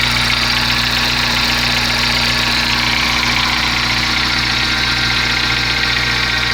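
Engine idles steadily with a light, fairly quick ticking riding over the hum; something is noisy at idle, but the source isn't clear.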